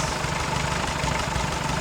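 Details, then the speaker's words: Early-1942 WW2 Ford jeep barn find, 79 years old, unrestored side-valve engine, after carb mixture set: steady, even low-pitched idle with no misses, hunting or stumbling; runs smoothly. "it's speeding up a bit probably about there and it will slope back off it back it off not bad for 79 years"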